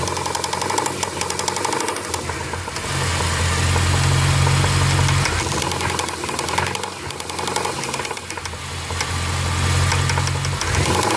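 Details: Jeep Grand Cherokee 4.7 V8, 158,000 miles, running with sharp rhythmic knock tracking engine speed, seemingly from passenger-side cylinder nearest firewall; cause unknown.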